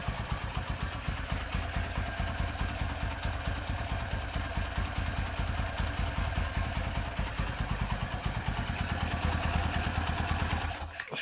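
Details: Rebuilt Honda Tiger Revo single-cylinder engine with reconditioned carburetor and BRT camshaft at idle: steady, even thump with a faint occasional carb spit, which the BRT cam causes; it idles healthy and smooth.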